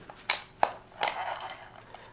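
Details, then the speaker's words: Restored Shakespeare 1795 spin cast reel, cleaned and reassembled: crisp light clicks as the handle turns, no grinding or scraping; normal reel cranking, though drag may be weak, springs possibly worn. "that's the sounds you want to hear everything's doing what it should do"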